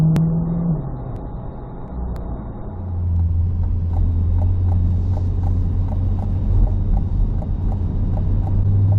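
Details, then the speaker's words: 2024 C8 Corvette Stingray, owned 3 months, driving: a light, steady, quick tick of about three per second from the right-hand side over road rumble; owner suspects an exhaust or manifold leak, cause unknown. "what is up with the ticking noise in my car right is that normal C8 I've only had the car 3 months the radio is usually on I never really noticed it until today driving around but it was a constant like ticking like either an exhaust leak or manifold leak"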